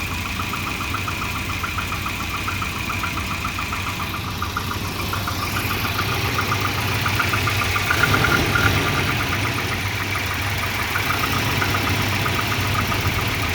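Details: Volvo 240 rough idle: uneven loose ticking pulse near four per second wandering in strength; O2 sensor read erratically when exhaust reached temperature, fixed by a new exhaust O2 sensor.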